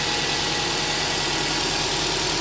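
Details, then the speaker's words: 2005 Subaru Outback XT with 2008 Japanese EJ20Y 2.0 turbo swap, dual AVCS, twin-scroll turbo, warming from cold: steady smooth idle, speed dropping as it reaches temperature, no knocks or check engine light; normal cold idle. "I'm letting it come up to temp, and as it comes up to temperature, you can hear the engine speed starting to go down."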